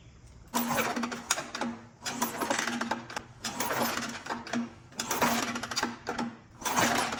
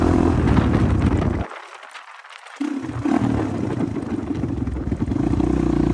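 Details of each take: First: 1985 Honda XR350R single-cylinder four-stroke after sitting outside 6–7 years, spark plug out (plug black, possibly rich) for spark test: four kick strokes, smooth even whirring, no catching or scraping; has spark and kicks over smoothly. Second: 1985 Honda XR350R single-cylinder four-stroke, revived after sitting outside 6–7 years, first ride after carb overflow leak fixed: thump drops off, stumbles and picks back up under throttle; runs and rides but carburetor still needs adjustment.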